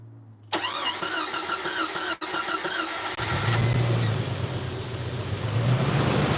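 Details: Jeep 4.0L engine, started right after new spark plugs installed to cure rough running: cranks and catches, then idles with an uneven, lumpy beat and wavering drone; still rough after plug change, cause unclear.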